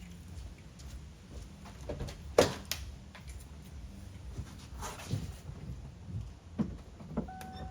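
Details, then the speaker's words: 1998 Ford Mustang GT 4.6 2V after replacing the idle air control valve: low steady smooth idle, no hum or hunting, better return to idle; normal idle, fault resolved. "Idling a thousand times better. Just came back from a quick little drive and everything seems to be resolved."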